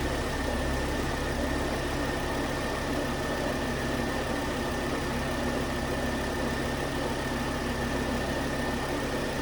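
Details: 2009 Volvo S40 T5 AWD R-Design after replacing a failed, melted alternator idler pulley; steady even idle with smooth low hum and faint constant whine, no knocks or misses: normal idle.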